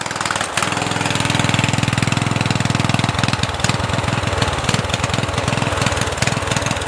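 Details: Murray 14.5hp 42" widebody LT lawn tractor: single-cylinder keeps chugging at steady idle after key-off; previous owner miswired starter solenoid ground to wrong terminal, so magneto kill isn't grounding.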